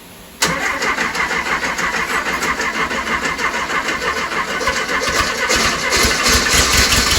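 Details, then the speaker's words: 1968 Porsche 912 air-cooled flat-four with freshly rebuilt carburetors, before fixes: catches after short crank then chugs unevenly with stumbling rhythm as some cylinders aren't firing; plugs fouled. "something that's seriously not right here you don't think it could be what if we swap those plugs off because try that but i'm trying to figure out which cylinders aren't hitting right"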